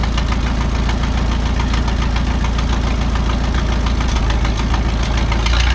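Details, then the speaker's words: 1951 Farmall M tractor warming up after rebuilt carburetor installed, mixture screw about 1.5 turns out: steady low idle with uneven knock three to four per second, coming and going; hesitation apparently fixed but new intermittent knock of unknown origin. "well I think I fixed the hesitation and sputtering issue but now I'm hearing an intermittent knock from the engine that I had not noticed before it doesn't do it all the time it only does it sometimes"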